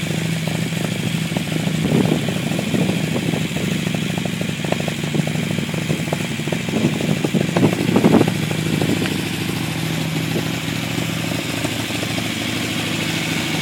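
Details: Unimog 404 on its first start-up after a rewire and new fuse boards. The petrol engine runs steadily with a few brief throttle blips and no knocks or grinding; it sounds healthy.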